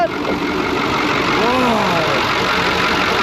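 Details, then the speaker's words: Cummins 555 "triple nickel" diesel in a Brockway 358 truck at idle, just after a valve adjustment that adjusted the loose injectors and tightened nearly all the intake valves. Steady, even, crisp clatter with no miss; normal idle, never sounded better. "that sounds good that's all the blood oh man i love this truck it's awesome that sounds freaking awesome nothing else sounds like a triple knuckle"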